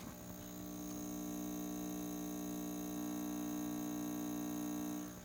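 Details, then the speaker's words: Magnum MS2012 inverter with good DC input and no fault codes, powering a 100 W bulb that glows dimly: tone changes from pulsing to a constant buzz, with AC output only about 50.3 V. Cause unknown. "the tone of the inverter has changed it's a constant buzzing now instead of dit dit dit dit dit it's Dean"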